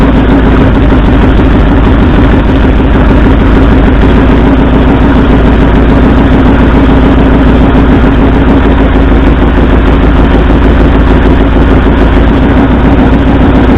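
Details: 1964 Ford F100 at idle: loud lumpy stumbling beat; cylinder contribution test by pulling plug wires finds driver's side front and second passenger-side cylinders not firing. Engine misfire, root cause not yet found.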